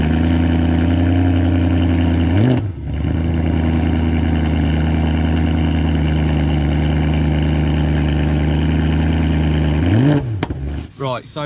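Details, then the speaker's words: BMW E92 M3 V8 with rear box cut open and modified: cold start, deep steady idle with even low burble and two quick throttle blips; normal cold start idle. "so already on cold start this thing sounds so good."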